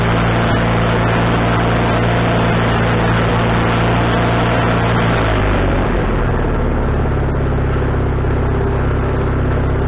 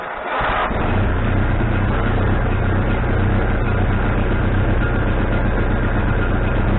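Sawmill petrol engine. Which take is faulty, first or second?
second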